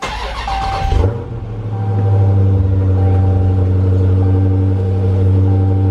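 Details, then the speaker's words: Dodge Challenger Scat Pack V8, start in garage right after Pedal Commander install on throttle position sensor: cranks, catches after a second, flares then settles into deep, even idle with strong exhaust rumble; normal. "I love this exhaust note."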